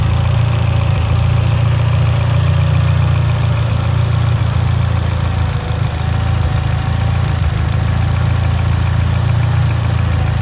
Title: Evo x lean idle misfire